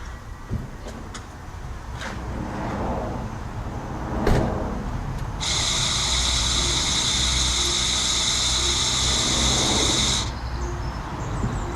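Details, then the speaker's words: 2014 Tesla Model S 85, rear-wheel drive, 8 years and 106,408 miles, recorded from outside about a metre from the car: a loud, high buzzing drone for about five seconds when the brake pedal is pressed; worn, noisy brake vacuum pump, since replaced. "because obviously these cars are nice and quiet, and this pump noise now is getting a little bit annoying, and it's quite noticeable from the outside."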